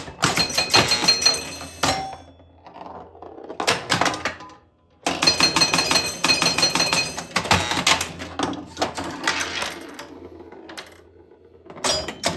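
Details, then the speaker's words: Grand Prix pinball, after fixing a stuck 10-point switch so the chimes work again: bright chime strikes and clunks during play, some leaving a buzzy metallic rattle; a loose chime's retaining wire vibrating; chimes need fixing. "That sounds messed up. You can hear that one chime is really loose because you can hear that wire that holds it together vibrate around in there."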